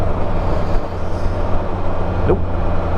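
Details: 2020 Spyder RT Limited at 50K, drive belt tensioned and aligned and the rear pulley centre greased with 0.15 ml BRP XPS synthetic grease. Under power there is steady engine and road hum with no squeak or chirp. The belt drive runs quietly.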